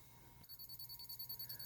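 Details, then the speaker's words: Harbor Freight Bunker Hill 95053 radio-signal (spy camera) detector with its antenna straightened and routed through the LED hole gives rapid high-pitched beeps, about nine a second, from power-on that never stop; continuous false alerting. "just adding this at the end I decided to go and straighten out the antenna and Route it through the uh little LED hole there and it just continuously beeps from the moment you turn it on"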